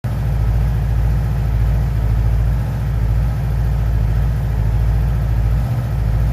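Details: 2011 Yamaha R6 idling: a steady, lumpy idle with regular soft puffing and popping from the exhaust. The cause is not identified.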